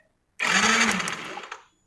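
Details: Yamaha Mio M3 125 scooter, testing the DC ignition system: short, even whirr of the starter spinning the engine for about a second, steady pitch, no grinding or clicking; starter sounds healthy.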